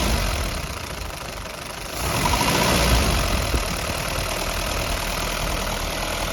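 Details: 1952 Willys CJ5 with a rebuilt F-head four and a new Universal Daytona carburetor, after a tune-up (plugs, wires, distributor): steady, even idle with a slight lift, no knocks or misses. Normal idle, though a head gasket leak is suspected afterwards.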